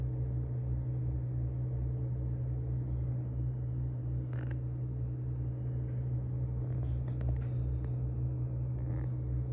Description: AL120 bottom fans with deep low humming noise.